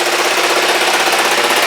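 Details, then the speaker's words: Kawasaki GPZ500S running with new spark plugs, not yet up to temperature, some vapor or smoke from the back; quick, even pulsing idle with no misses, knocks or rattles, sounds healthy, owner thinks the plug was the problem. "it's running just sweet lovely maybe it was just the plug that's all it was"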